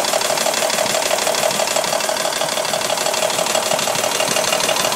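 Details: 1985 Mercedes W126 500 SEC, M117.963 V8, running on petrol (same with LPG), passenger side: steady idle with sharp regular tick about ninety a minute; hydraulic lifters suspected, replacing two on cylinder 1 helped little.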